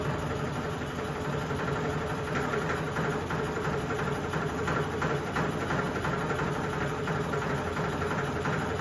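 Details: Sony ceiling fan, 2022 model, at full speed: loud drone with faint rough pulse about three times a second; strong wobble and heavy vibration, cause unclear.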